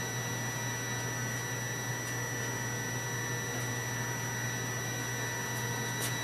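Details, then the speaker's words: Continuity tester on a relay that switches an inverter via a Victron Smart Battery Protect (220 A); while it beeps the inverter is on. A steady, unbroken beep with no dropouts shows the relay contacts are closed and passing current. "so this is the continuity so right now while this is beeping that means that the inventor will be on"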